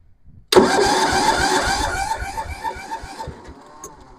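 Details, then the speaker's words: Massey Ferguson 7 lawn mower sitting many years, after carburetor mixture screw turned out further: sharp start then uneven puffs fading over about three seconds, beginning to fire but not holding; engine catching while cranking. "there's a little flutter yeah all righty now we're talking here"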